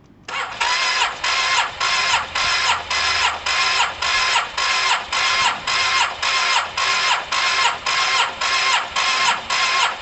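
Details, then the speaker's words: Cheap Yamaha TMAX, spark plug out, checking spark grounded to radiator: steady starter churn about two compression pulls a second for ten seconds, never catching; only 2 or 3 spark flicks seen, spark far too weak. "So that was interesting guys. I saw maybe 2 or 3 flicks of a spark in 10 seconds. Almost definitely not enough."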